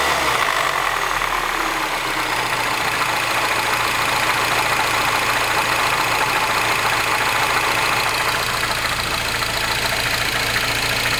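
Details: R56 Mini Cooper S, cold morning start: a busy, rattly clatter over a steady engine hum at idle with no change in speed; an abnormal engine noise when cold.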